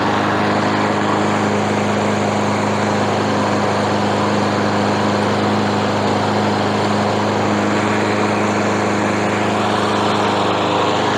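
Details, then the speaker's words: Small single-cylinder mower engine (free mower) running after a stuck valve was freed and cleaned and the carb replaced; starts on first pull and hums at a steady, even speed with no misses, knocks or hunting: normal running. "एक बार जब हमने valve को मुक्त कर दिया, और इसे थोड़ा साफ कर दिया बिट यह एक आकर्षण की तरह काम करता है, पहले पुल पर शुरू होता है"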